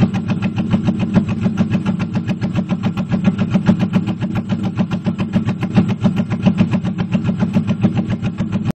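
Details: 1998 Pontiac Firebird Trans Am WS7 V8 misfiring at idle despite new NGK plugs, new plug wires, a de-screened MAF and fine cat temps: heavy thumping idle at about 3.5 beats per second with an uneven, lumpy, missing pulse.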